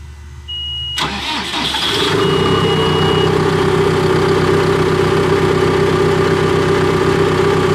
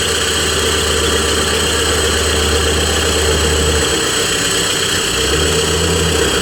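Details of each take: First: Cat D3K2 dozer with no DPF fault codes: cranks and catches in about a second, then runs steady but lumpy and laboring; plugged DPF restricting exhaust suspected, little flow felt exiting, not yet confirmed. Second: Cat D3K2 dozer, complaint of rough running, bogging under push, fluctuating rpm and white smoke: with the exhaust disconnected after the turbo it idles loud and even with no misses or hunting. DPF at 86% soot load; plugged DPF suspected.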